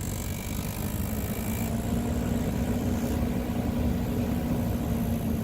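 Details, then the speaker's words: 2014 Nissan Altima blower fan at idle: rapid light clicking over steady fan rush that gets louder and faster with fan speed, from debris hitting the fan blades behind the glovebox. "hey everybody so I've got a Nissan Altima 2014 and the fan has been making this sound for a while now"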